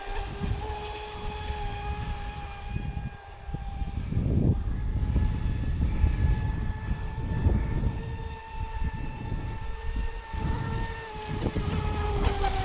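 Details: Traxxas Spartan SR RC boat on 6S, second run after second repair (servo mount replaced, hull bottom repaired with fibre); steady high motor whine over water splash, the earlier crackling noise is gone; normal motor running.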